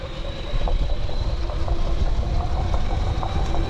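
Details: Canyon Roadlite:ON 7 2023 e-bike, Fazua Drive 60 motor: steady motor whine with scattered light ticks and rattles over it, a rattling noise from the drive unit.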